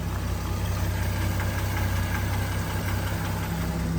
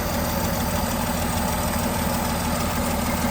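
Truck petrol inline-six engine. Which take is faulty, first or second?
second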